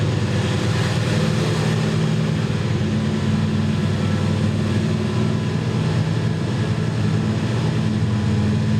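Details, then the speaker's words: 383 small block Chevy with a Pete Jackson gear drive idles high, with a steady low drone and a faint constant whine from the noisy gear drive. It would not idle before; the owner suspects the carburetor secondary screws need turning down. "I was trying to figure out, I was like, why is that thing so noisy? And I remember that's got a noisy drive on it, gear drive. Pete Jackson. Yeah. So if you're wondering what that noise is, that's from literally the noisy drive."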